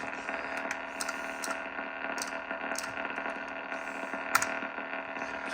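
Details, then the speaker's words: National HRO-500 receiver: rough, steady hiss-rumble thought to be from the high-frequency oscillator sawtooth sweep generator, still seeking and not locking; mute transistor Q16 pulled, harmonic selector wheel string broken. "So I think that rumbling sound is the sawtooth generator right there."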